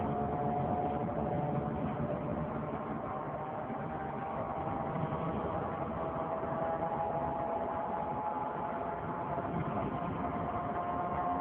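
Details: 2003 Saturn Vue 4-cylinder AWD with check engine and coolant lights on (coolant fine): a loud, steady whirring that follows road speed, from the front driver wheel area. The hub was already replaced without fixing it; the cause is undetermined.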